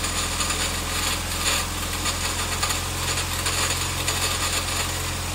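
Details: Nissan CA18DE engine, just bought, running steadily with a dense, fast clattering rattle over a low drone; cause unknown.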